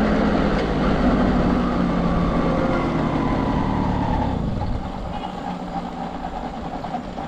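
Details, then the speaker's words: TVS XL 100 moped during mileage test, odometer 53,959, fuel cock off: engine chugs evenly then loses strength and fades after about four seconds as the carburetor runs out of petrol; fuel starvation. "Carburettor petrol అయిపోయింది."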